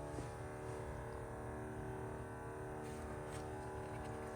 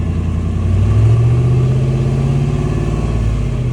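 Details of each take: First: 1991 Ford F250 351W, carb-swapped, newly installed electric fuel pump wired directly to battery: steady, even hum with no surging; fuel pressure only about 2.5 psi, inlet line likely needs bleeding of air. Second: Carb-swapped 1991 Ford F250 351W V8 after fuel system install: deep, throaty rumble climbing smoothly with revs and settling, no knocks or misses; sounds good, normal revving.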